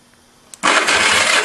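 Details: Small Honda go-kart engine with points-and-condenser ignition, after sanding and gapping the points: a click, then the starter cranks it over evenly and steadily while checking for spark. Spark is present and cranking is normal.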